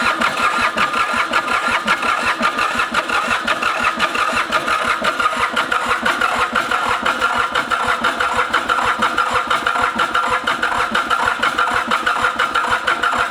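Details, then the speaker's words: Mitsubishi K3D diesel in Ransomes Bobcat mower, unstarted 9 years: long steady cranking about three beats a second with no catch; owner theorizes overfueling, with profuse black smoke; no-start. "we are gonna shut the fuel pump off hit the fuel shutoff and just crank this thing over my theory is that which is why I'm getting this crazy profuse amount of black smoke"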